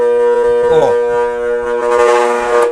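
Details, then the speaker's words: Motor with electronic start switch, freshly rewound and varnished, powered on the mains with start (auxiliary) winding and capacitor miswired: loud steady electrical hum, no run-up, motor energised but fails to start. "esse motor eu vou mostrar o qual é o erro é bem simples é só a ligação do motor tudo errado"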